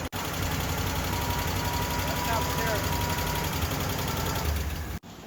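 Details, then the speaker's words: Ford LTD just after start-up, with the lifters recently inspected and distributor timing advanced: fast light ticking about four per second over a rough idle. A lifter tap or valvetrain noise is suspected, and further timing adjustment is planned. "now you heard it was uh tapping pretty bad there that's a lifter tap for sure either a lifter tap or um valve train noise"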